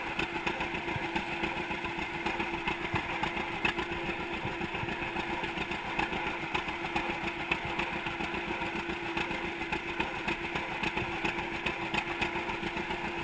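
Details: 1942 John Deere Unstyled A conversion, engine formerly stuck, on its first start after new spark plug wires (GoPro in waterproof case): steady, even two-cylinder putt-putt at about three and a half beats a second, no knocks or misses; healthy.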